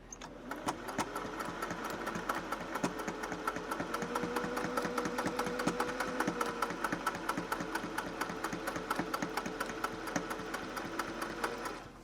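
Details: Singer 401A sewing machine found after sitting for decades, cleaned and oiled, sewing through four layers of fabric: quick, even ticking of needle and mechanism at constant speed over smooth motor hum; healthy machine.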